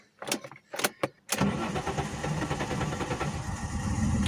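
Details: Alfa Romeo 164 2.0 V6 Turbo Busso, sat two years, misfires, plugs and HT leads already replaced: several cranking bursts before it catches into a rough, uneven idle; hard starting, possibly old fuel or engine temperature sensor.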